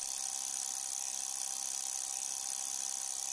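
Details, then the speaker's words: Glow Worm Ultimate boiler (30FF/40FF/50FF): relay inside the controller PCB (part 202267) rapidly opening and closing with a fast, dry buzzing chatter; fixed by replacing the five aluminium electrolytic capacitors on the PCB. "and closing and it is making chattering noise"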